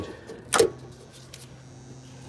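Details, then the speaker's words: Heat pump with no heat, thermostat calling for heat: one sharp clunk, then a low steady hum in a quiet background as the contactor pulls in; the contactor was later found bad and replaced. "i hear the contactor contactor just pulled in so let's just go ahead and measure these fuses here"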